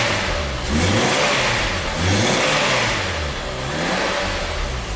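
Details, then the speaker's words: 2011 Nissan Sentra, 33,000 miles, that had stalled and barely ran, now restarted after repeated starting-fluid attempts: revs up and settles back smoothly, idles on its own with everything plugged in and has clean throttle response; running normally. "I think we're back in business it's actually idling on its own with everything plugged in right Don look it's got some throttle response"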